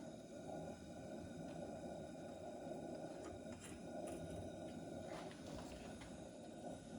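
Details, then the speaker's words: 1958 Coleman 200A lantern after rebuild, bent generator needle straightened: even, steady hiss and soft roar from the burner with only a few light pops while pumping; burning smoothly, much better than before. "it's sounding a whole lot better than it did give it a few more pumps"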